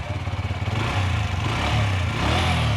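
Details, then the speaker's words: Bajaj Freedom 125 CNG motorcycle idling with a steady, even thump and no timing-chain rattle after timing-chain and clutch-plate repair. "देखो भाई, बिल्कुल okay sound हो गया, ठीक है।"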